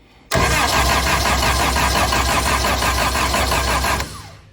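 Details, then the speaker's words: Austin-Healey Sprite with a newly built 1275cc A-Series engine, first start attempt with choke pulled and spark confirmed: steady starter cranking at about three compression beats a second that never catches. No fuel is reaching the filter yet, so it will not start from fuel starvation. "I'll hit the starter with this one. We'll see if we can get this running. We're not getting any fuel in the filter yet."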